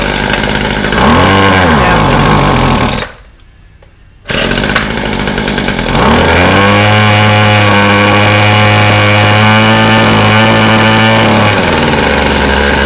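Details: Weed Eater FeatherLite Plus FL26 two-stroke trimmer on fresh 40:1 fuel, old carburetor before replacement: buzzes, cuts out, restarts with choke off and runs at an uneven, hunting speed; rough running.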